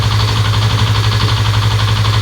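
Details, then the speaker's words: Fuel-injected motorcycle at idle with ECU diagnostic tool connected, cam chain not yet repaired, injector weakening: steady idle with fast even metallic clatter over the exhaust beat; cam chain rattle. "Jadi ya mohon maaf ini motor ada klotok-kelotoknya ya guys. Karena kan rantai ketengnya belum kita perbaiki."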